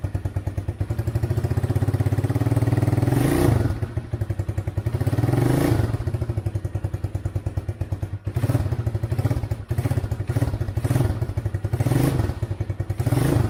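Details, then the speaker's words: Chinese ATV after about seven years sitting, with a homemade harness, started cold without starter fluid: lumpy, surging low idle that dips and recovers unevenly, staying alive only on choke and dying when the choke is removed until it warms up. "So it needs to warm up. I took off the choke and then it dies out, but it runs, which is a huge accomplishment after how long it's been sitting"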